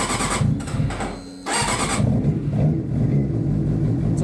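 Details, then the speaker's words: 2007 Suzuki GSX-R 600, high mileage, slightly cold, restarted after the fuel pump primes following a starter switch replacement: brief starter whir, then an even, slightly lumpy cold idle with no knocks; a normal cold start. "a little cold. And she does have a lot of miles on it for a GSXR 600."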